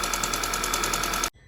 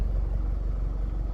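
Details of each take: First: Rebuilt Audi/VW 2.0T TFSI petrol engine at idle: sharp regular tick about ten a second, louder than normal, seeming to come from the intake camshaft; suspected fallen-over or broken rocker arm, not confirmed. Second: Audi/VW 2.0T TFSI engine (B8 A4/A5/A6/Q5), freshly rebuilt, revved outside after earlier ticking noise: deep even exhaust rumble with a clean quick blip, no ticks or clatter; exhaust butter smooth, engine healthy.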